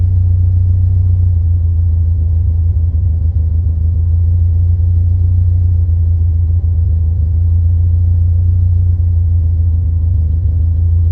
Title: 89 Alfa Romeo Spider - Rough Idle